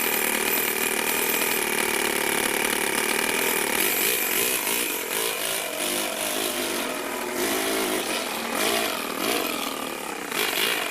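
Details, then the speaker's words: Toyan four-cylinder four-stroke engine in an RC rat rod buzzes unevenly, sagging as if short of air. Owner suspects the clutch bell nut and screw keep loosening, so the bell pushes on the gearbox housing and binds. Engine bogging. "it was causing it to go whoa you hear it kind of like it was it needed more air or something but it was actually just getting bound up really weird"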